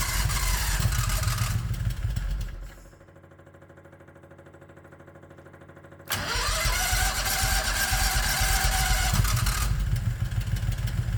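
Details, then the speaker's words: 1969 Renault R10 with a 670cc Predator V-twin, cold start on a manually choked carburetor via the electric starter: it catches, revs, then sinks to a slow, weak idle before recovering. The idle is too low when cold. "oh it sounds like the idle's too low me it'll do this when the engine's [Music] cold"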